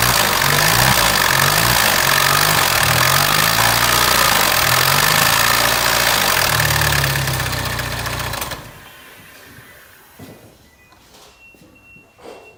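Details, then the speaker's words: Peugeot 3008 1.6 turbo, 10,000 km: fast even metallic chatter from the right side while running, with loss of power; suspected stretched timing chain, to be measured. "объект данный момент у машины 10 тысяч километров присутствует характерный звук металлический с правой стороны сейчас будут замерять цепь грэм"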